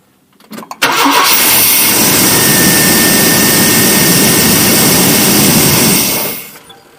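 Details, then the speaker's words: 1988 Chevy Silverado half-ton towed in for crank no-start, after installing a used ignition module: brief crank then immediate catch into steady even run with no misses; normal start and idle. "Well, that's a good sound."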